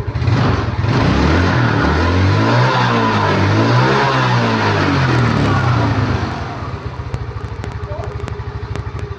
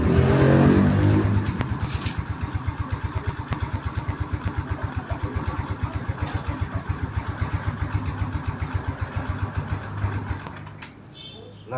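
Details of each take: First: Yamaha Mio Smile scooter that lost power after about 40 km, after adjusting the carburetor screw to 3 turns: starts instantly, throttle blips rise and fall cleanly, settles to a steady, even idle; normal revving. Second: Yamaha Mio Smile scooter that only reaches about 40 km/h and won't pull when throttled; started up, it revs then idle sags and wavers unevenly, nearly dying; carburetor slide suspected not lifting fully, carb to be dismantled.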